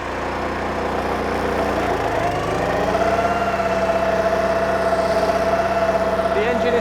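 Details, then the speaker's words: BCS 630 WS walk-behind flail mower driving forward in gear 2 while mowing: the engine holds a firm, even beat and speed. The operator hears it straining a little and says it is probably a bit much; normal running under load. "You can hear it straining a little bit, it's probably a little bit much for it."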